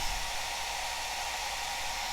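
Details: Cascade DS-925 hair dryer, after crimp repair of a no-heat fault, on low setting with temperature probe reading about 50–60°C: steady rush of air with smooth motor hum, no dropouts; running healthy, heat restored.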